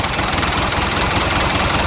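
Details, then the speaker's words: 60-year-old David Brown DB 40TD dozer diesel after injector overhaul and fuel bowl gasket: even rapid idle beat, regular firing, no heavy knock; idles smoothly, though a leaking exhaust manifold gasket is suspected. "but it sounds really sweet though and that's nice it really does sound nice"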